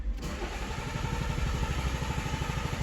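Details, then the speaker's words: Toyota Auris diesel, crank-no-start with P1604, after restoring fuel pressure to 300 bar: starts and settles into a lumpy, stumbling idle, not running well. "now we've had fuel pressure 300 bar and it did start it started and ran and but wasn't running very well"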